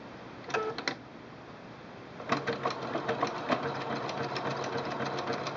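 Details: Singer Quantum L-500 sewing machine, zigzag at 1.5 width and 3.0 length: quick trial burst, then an even rapid clatter about three to four stitches a second; normal zigzag stitching.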